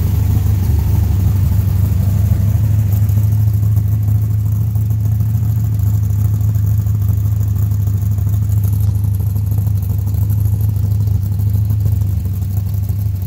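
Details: 1970 Chevrolet Nova former drag race car, V8 started off a jump pack; deep, loud, steady V8 rumble with a lumpy even beat and no knock or tick; healthy as it runs and revs.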